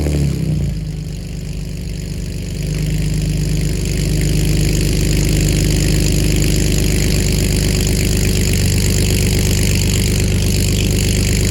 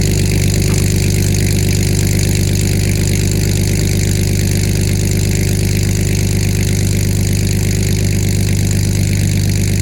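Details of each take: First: BMW E46 just after header installation, first start: fast even idle with a rapid puffing tick over a loud exhaust note; exhaust leak at the header joint. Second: BMW E46 after aftermarket headers were installed and the leaking holes at the manifold were blocked with bolts. A steady, even idle with a deep rumble and no puffing or ticking, so the exhaust leak appears sealed.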